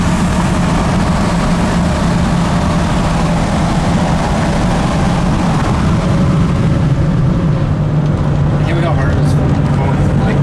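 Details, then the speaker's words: Ford F250 7.3 Powerstroke diesel, 100 hp performance tune, driving at about 15 psi boost: deep steady drone pulling hard with road noise, crisp and smoother, no knocks or misfires; normal under load. "it just sounds a lot different I mean it just sounds a little bit more crisp that sounds like a 6-litre that aspect and I just like it's like smoother too"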